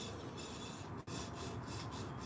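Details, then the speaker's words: Emerson electric motor, no horsepower rating shown, removed from an air compressor and spun loose. A dry, gritty rasp and steady rough grinding as the shaft turns. The bearings have gone bad and the armature binds, so it won't start the compressor. "it's got a little bit of bearing noise to it."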